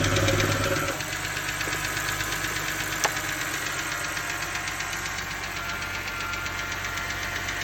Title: BMW 328ix- Rod knock?